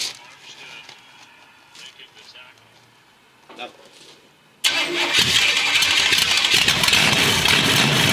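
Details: Chevy Impala with rebuilt 406 small-block V8, first start after rebuild, run only briefly because lower radiator hose too short: quiet, then cranks, catches and settles into a strong, steady idle with even firing and no knocks.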